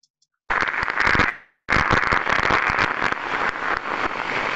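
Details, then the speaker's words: Airborne ultrasound recording of a service inspection on an electrical cabinet: heavy, non-uniform crackling with sharp louder pops, 50 Hz harmonics, indicating arcing. "so as we can hear there's a lot of crackling going on there's a lot of it's very non-uniform in nature"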